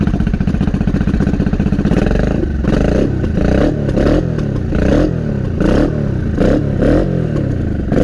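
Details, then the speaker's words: Honda Shadow 500 V-twin, first start after about four years in pieces: lumpy, skipping chuffing with missing pulses, running on the front cylinder only. "It sounds like it's only running on one. I think we're only running on one. Why are we running on one? We're only running on the front one."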